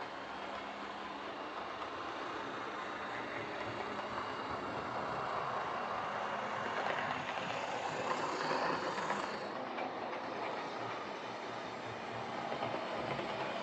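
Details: Old Lima Class 31 model locomotive in freight livery after overhaul with an extra pickup added on the front bogie, running on the layout: smooth, steady whir with wheel clatter over track joints, even speed; normal running.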